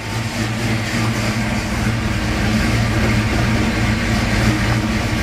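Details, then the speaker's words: 1989 Mustang GT 5.0 cammed V8, rebuilt about 750 miles ago and still on break-in oil, idling cold after sitting a long time on the stock mid-pipe: heavy low, slightly lumpy rumble held steady at about 50 psi oil pressure; runs fine. "give it a second to warm up before I rev it up because it has sat so long"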